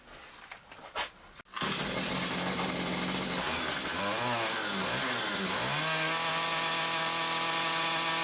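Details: Stihl two-stroke combi unit that died when revved, after clearing a blocked, oily exhaust and refitting it: pull-start, buzzing revs climbing and dipping then holding strong, steady high revs; revs freely now.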